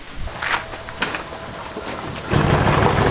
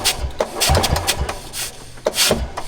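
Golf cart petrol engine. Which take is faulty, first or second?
second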